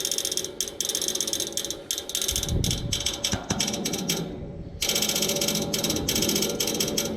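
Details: Neighbor's AC outdoor unit idle, fan off, fan motor replaced yesterday: fast uneven bursts of sharp ratcheting clicks, about four per second, from inside the unit, as if trying to crank something; stops when the fan starts; cause unknown.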